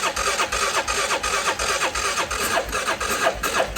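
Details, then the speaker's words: CF Moto Moose Tracker 500 ATV that sat about 3 years, choke held, battery pack on: steady starter cranking about three turns a second, never catches; crank no-start, carburetor later found gummed and plugged. "oh look oh it's terrible i wonder why i couldn't get it to start"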